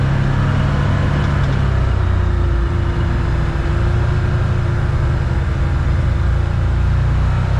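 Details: 2022 Can-Am Commander 1000R driving at speed after wheel bearing replacement with Super ATV Ultra Tough bearing, torqued to 76 ft-lb: steady drivetrain drone, faint even tone, former screeching gone; wheel bearing healthy.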